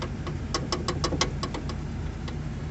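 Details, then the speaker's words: ZAZ Tavria at idle: irregular sharp knocks in quick bursts under the hood, persisting after checking engine mounts and securing the spare; cause was the dried-out hood stop rubber bushing letting the hood rattle. "всем привет в общем суть проблемы ездил ездил все спокойно никого не трогал начала что-то под капотом у скучать рассмотрел все подушки в бочки чтобы закреплены были запаску все равно стук не уходил"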